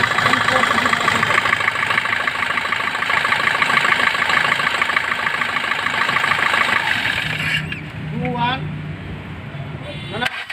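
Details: Suzuki Swift engine idling; a high, gritty whirring and chirping over the idle that follows engine speed. Worn alternator pulley bearing suspected, not confirmed.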